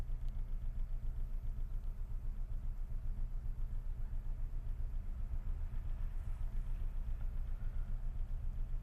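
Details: Idle with a regular heavy thud about four per second over a shaking rumble, mirror trembling and steering-wheel vibration, heard from inside the car; knock and vibration at idle, cause unknown.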